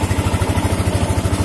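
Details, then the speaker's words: Yamaha Jupiter MX King fuel-injected motorcycle: quick, even single-cylinder putter at a fast steady idle with no hunting; idle speed set too high. "ini suaranya sudah cepat ya. Jadi kalian bisa menyetelnya lagi."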